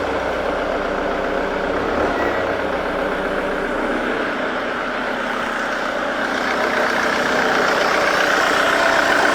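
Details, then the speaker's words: 2008 Jaguar X-Type 2.0 diesel, previously harsh, now with the pressure regulator fed directly from the fuse-box supply in a bypass test: a steady, even, smooth idle with no stumble; it runs properly. "the car is running or the engine is running properly now"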